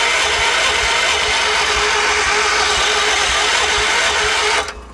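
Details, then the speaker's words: 1978 Wheel Horse C-121 garden tractor, after starting fluid: starter whirs with even compression chugs about twice a second, never catches, then cuts off; cranks, no start. "I'm just going to burn out the starter at this point, so all right, back to the drawing board."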